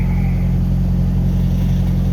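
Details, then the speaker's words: Pickup after reconnecting MAP sensor differently, previously idling rough with a code: low steady idle with even beat, no stumbles or hunting. "i'm not seeing the code come on and it's running really smooth now so i don't know if that fixed anything"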